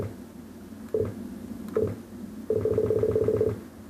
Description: Weird beeping sound from my computer every time i do anything with the mouse